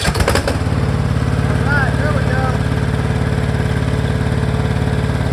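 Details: Cub Cadet riding mower, 424 hours, hard-starting, after valve adjustment to 0.003 in each side and gasket fitted: single cylinder fires and settles into steady, regular beat about three pulses a second; runs clean.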